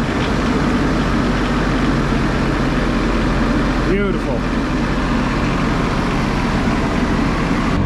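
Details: Newly acquired Onan CMQD10000 diesel generator (replacing an MEP803a), started after a fuel filter change and fuel priming: smooth, steady diesel rumble at constant speed with no misses or knocks; runs normally, charging at 14 volts.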